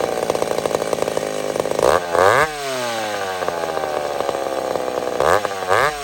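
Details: Old McCulloch Super Pro 70 chainsaw cutting on a hot evening: strong, steady high note under the cut, with clean rev-ups between passes and no hunting. Healthy running.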